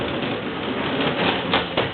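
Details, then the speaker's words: Sliding wardrobe door in an apartment: gritty, rattling rumble as the door rolls, with sharper clicks near the end; the rollers' bearings are suspected worn; noisy door rollers. "What I want you to do is listen to the sound here. Looks like we have some bearings that are not bearing well."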